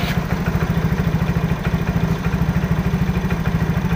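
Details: Yamaha Mio J (Fino) that stalled while riding with MIL code 46, idling with an even, steady single-cylinder putter. Charging reads 13.8–13.9 V running; no misses or knocks, normal idle.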